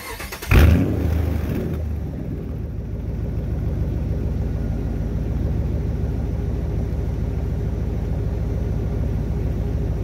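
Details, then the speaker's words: Dodge Ram 1500 just after a fuel pump replacement: quick crank, catches at once and settles into an even, steady low idle with no misses, with faint fuel pump whine. Fuel gauge works; normal start and idle. "And it lives. All right. Yeah, we are golden now. So yeah, we're good to go. You can hear that baby whining away, barely, but fuel gauge is still working."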